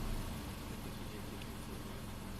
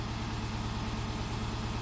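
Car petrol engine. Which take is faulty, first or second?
second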